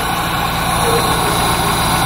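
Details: Dodge Neon that wouldn't start after an oil pressure switch replacement, now running after a loose connection (false contact) was fixed; steady even idle with a smooth low hum, no misses, knocks or ticks.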